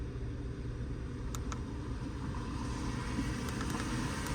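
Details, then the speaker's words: 2014 Hyundai Sonata 2.4L at idle after upper timing chain replacement; starts right up with no misfires and no check engine light. Smooth, even low idle with no ticking or rattle from the front: normal. "we completed the uh installation of the engine starts right up uh no Mis fires I don't hear no misfires no checking your light on"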